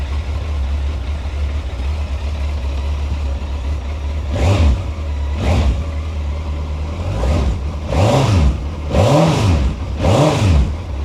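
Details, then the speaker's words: Completely standard Suzuki GSX1400, 2,188 miles, stored 23 years and last ridden in 2002, starting up: smooth, even idle with crisp throttle blips rising and falling cleanly, no knocks or rattles. The engine sounds sweet and healthy. "The engine sounds sweet, and of course, you want to hear that."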